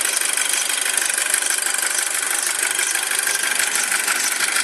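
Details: 2007 Audi A4 at cold idle: fast, fairly regular high chirping about three per second over a steady idle, no low rumble; squeak gone once engine reaches proper temperature, source unconfirmed.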